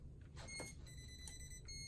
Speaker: You hear it beeping rapidly, which means that it detects a lot of current.